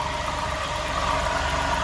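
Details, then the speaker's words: Customer's Jeep idling, engine bay: steady rough growl and constant tone near 1 kHz; a replaced alternator was misdiagnosed, growl traced to a worn water pump bearing. "That don't sound like an alternator, but here's what she got me to put on this car. See, this is what happen when you don't diagnose your own problem."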